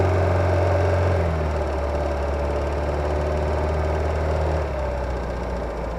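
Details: Kia Ceed G4FG engine, GoPro under the hood, cold, accelerating: steady rhythmic knock about four per second over a rough low note; fades after about 10 minutes of gentle driving, gone hot, no oil use, not much worse by 120,000 km; cause unknown.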